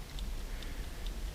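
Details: Serviced dash clock from a 1969-71 Lincoln Continental Mark III, bench-running on a fuse after its points were cleaned and the lube removed: soft, steady ticks about twice a second over room hum. The clock runs normally.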